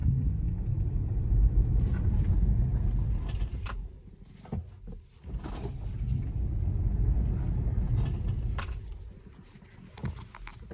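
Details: 2020 Model 3 just under 27k miles, about two years old: scattered sharp clicks and rattles over low road rumble during acceleration, deceleration and turns, apparently on directional changes; heard for several months, recently getting worse, occurs in any road condition.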